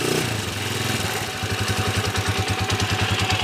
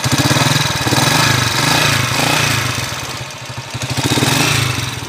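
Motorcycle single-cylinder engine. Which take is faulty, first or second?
second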